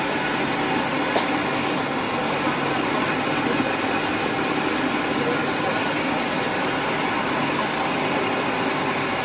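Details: Rice mill (Sam Yot) test run after replacing the broken motor bearings and fitting a No. 3 shim flange: constant, even whirring hum with no grinding, squeal or rumble from the motor bearings; the mill runs smoothly.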